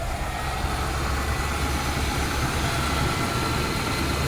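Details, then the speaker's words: 80s Lincoln Town Car V8 after deleting the malfunctioning smog equipment, ports capped and plugged: deep steady rumble, even beat, no misses or ticks; owner says it runs as good or better without it; normal idle. "it runs smooth. Runs just as good, if not better, without it."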